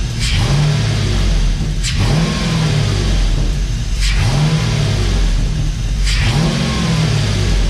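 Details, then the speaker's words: Dodge Dakota R/T with a replacement 5.9L Magnum V8 from a crashed Durango R/T, first run after install, good oil pressure, low coolant temps: revved up and back four times, clean return to idle, no knocks; healthy. "Guys, she sounds healthy. Listen. Need to add a little bit more water, but temps look good."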